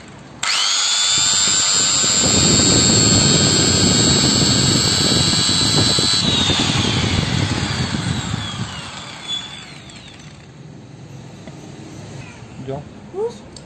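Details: Magtek hand grinder after repair of rough running and suspected burning: spins straight up to a steady high whine with no rattle, then winds down evenly; sounds healthy.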